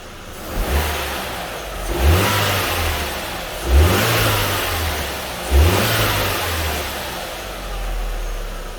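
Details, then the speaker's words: 2004 Audi B6 A4 Quattro 1.8T manual with a new 034Motorsport diverter valve and stock airbox: four clean free-revs drop back smoothly to idle, with only a faint whoosh on lift-off. Normal free revs. "So there's that little sound check. It's not that loud, or you don't really hear that recirculation because I still have my stock air box in there, but once I get my custom setup in there, it'll be much louder for sure."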